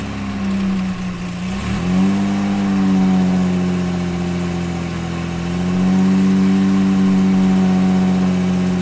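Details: 1978 Jaguar XJ6 Series 2 barn find, stored since 1999, after fuel tank refurbishment: engine catches after a stumble and holds raised revs, note wavering and uneven; running rough after long storage.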